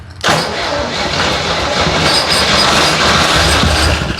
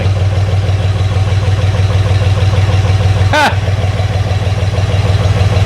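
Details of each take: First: 1963 Jeep CJ5, long disassembled, first start on carb cleaner sprayed into the carburetor with throttle: engine catches and roars raggedly a few seconds then dies; it runs but the mechanical fuel pump delivers no fuel. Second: 1963 Jeep CJ5, warmish, after the big vacuum leak was found: low, even idle rumble with a regular pulse, no hiss or stumble; engine now holds a smooth idle.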